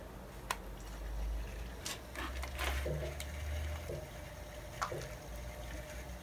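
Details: 24 V ultracapacitor bank water-cooling loop, circulation pump briefly switched on with the gauge near 0.8 bar: low steady pump hum with gurgling and trickling water; pump running with air still in the loop, no leaks.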